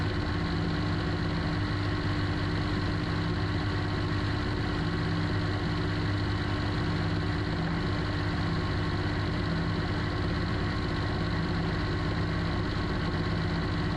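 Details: Suzuki Alto Works idling, hood open, after a breakdown, battery swap and fuses found fine: even, steady low idle with no knocks, squeals or misses over fourteen seconds. Normal idle.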